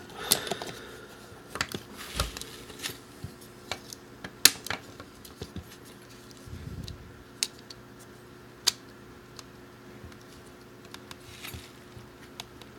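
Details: Brand-new Xbox One Elite controller with a sticky trigger, after repair: a few light, crisp plastic clicks at uneven intervals in a quiet room; each trigger pull sounds clean and normal.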